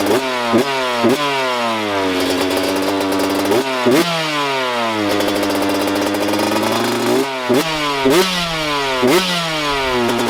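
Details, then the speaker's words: 125 two-stroke dirt bike (YZ125/KX125 pair), left unridden all year over a motor issue: revs blip and drop back, with a fast, loud ticking at idle between blips that goes away when revved; seems top end, cause unknown. "The thing fired right up, but listen to this motor, it's definitely not right. It goes away once you rev it, but on idle, it has a super loud ticking."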